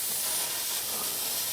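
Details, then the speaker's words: CNC way lube system with compressed air applied through a newly fitted restrictor (metering fitting): steady thin whistling hiss with little flow, probably from a cracked fitting plus a leak at the quick connect. "there's not really much of a flow you can you can hear the air whistling out probably because i cracked i cracked this here and also there's a leak at the quick connect"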